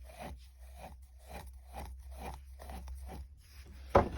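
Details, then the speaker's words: VW Jetta 6 wiper linkage moved by hand: slow scraping rub about twice a second from a broken linkage bearing grinding in its mount. "але в мене зламався підшипник ось тутп пшипник він як зламався вінщо почуєте"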